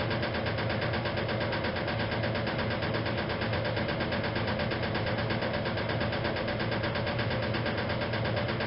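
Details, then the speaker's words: 1956 Whirlpool Imperial automatic washer, fully restored, in final spin: steady hum with uneven knocking about once or twice a second from the rear motor access plate never refitted properly; harmless, not affecting operation. "about that knocking the sound that you hear that is actually the rear plate of the machine that says I never managed to get the motor access plate fitted back on properly from this machine"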